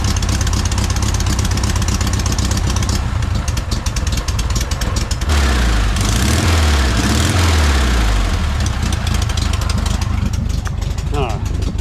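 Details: 1968 VW Bay Window bus air-cooled flat-four after motor refresh, reinstall and fuel tank cleaning: lumpy but even idle with steady chuffing and a brief rev blip; engine sounds healthy.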